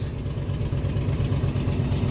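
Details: 2000 Ford F-150 4.6L 4x4 after a new cam position sensor and rear downstream O2 sensor, idle air control cleaned: rough V8 idle surging between 1000 and 2000 rpm with a faint hiss; an intake leak is suspected.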